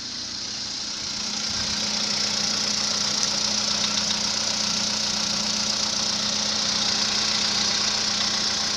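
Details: VW Polo Sedan, March 2014, 67,000 km, cold start: rapid metallic ticking about three per second at idle. The knock began at 65,000 km; later decarbonizing made it quieter and shorter (20–30 s) but did not cure it.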